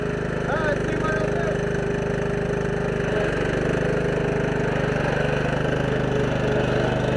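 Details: Husqvarna lawn tractor single-cylinder engine retrofitted with an electric fuel pump, started cold at about 36°F after sitting all winter; runs at a steady, even beat with no stumbling or bogging, running normally.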